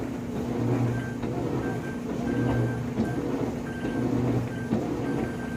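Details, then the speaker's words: GE washing machine model GTW460ASJ5WW (2016), about three months old: short high beeps repeat about every half second over the washer's hum while washing, load selector not working correctly; cause unknown. "our washing machine's going crazy you're beeping like crazy"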